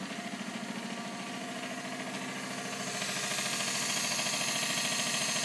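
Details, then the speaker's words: Bosch 044 and Facet Posi-flo 60107 fuel pumps in a surge tank for a 1989 Nissan Bluebird carb-to-injection conversion, both running together drawing under 11 A: loud, even buzzing about three pulses a second, swelling slightly. Noisy but working fine. "So it is quite loud, as you can hear, but it's working fine."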